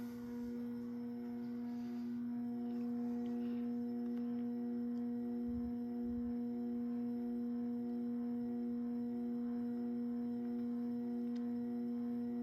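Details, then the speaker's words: Early-1980s CEC-made Moss Heirloom Olympus 52-inch ceiling fan at medium, around 95 RPM, on variable speed control: steady clear hum around 220 Hz, still quite noisy motor buzz; owner would need a wall control to use it. "Still quite noisy. [Music] If I ever were to use this fan, I'd definitely have to put it on a wall control."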